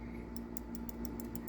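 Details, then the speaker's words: Pinball ramp-down switch (Whirlwind) clicks crisply and cleanly after bending the actuator arm up toward the plunger, fixing poor activation; normal switch operation. "It's a nice and a clicky."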